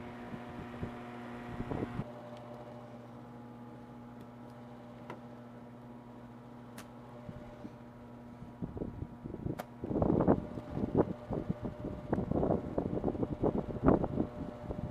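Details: Air-conditioning unit just after an emergency repair on a hot day, now moving air: steady low hum with a constant tone from the fan and compressor, even and unwavering, then some clatter nearby; running normally.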